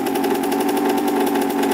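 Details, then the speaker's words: Reassembled 1991 Suzuki RM125 two-stroke, cleaned rebuilt carb, just started first kick: quick, even popping at steady idle with crisp buzzy tone, no misses, no leaks; runs great and sounds healthy. "as you guys stopped started first kick runs great smells super good"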